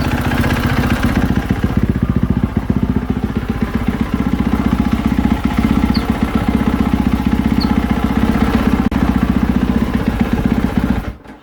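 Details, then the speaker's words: 2020 KTM 450SXF after replacing worn clutch dampeners, which had caused knocking and tapping: even single-cylinder idle with no clunks or taps as the clutch lever is pulled in and let out; normal clutch idle. "And that's how it should sound. That's how they sound normal. That's how a clutch sounds even when they're brand new. That is normal."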